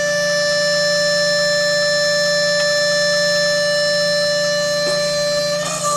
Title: Solidoodle Whining sound when homing.